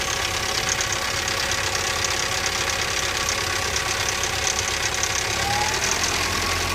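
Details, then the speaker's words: 1985 Toyota 22RE petrol engine at idle as it warms up, timing chain replaced: fast, uneven metallic rattle that gets worse as it gets hotter; owner suspects chain slack, unconfirmed. "and you know now that it's getting hotter it's actually sounding worse"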